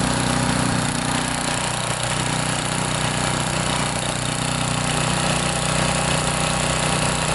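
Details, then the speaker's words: Old Tecumseh 8–10 hp single-cylinder snowblower engine after carburetor rebuild, cleanup and oil change, primed with controls set to full: loud steady buzz holding even speed, no stumbling or surging; running well. "This thing runs really good."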